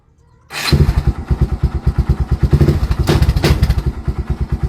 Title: Barako II 175 Hard starting problem?